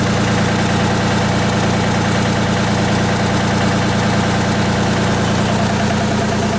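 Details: Miller 400D diesel engine-driven welder: steady, even drone at constant speed with no knocks, misses or hunting; healthy.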